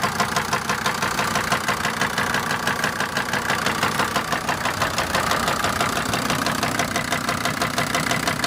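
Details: SsangYong Rexton after a no-start, jump-started: rapid, sharp tapping about three times a second over a steady idle; unusual internal engine knock, suspected piston noise, not confirmed.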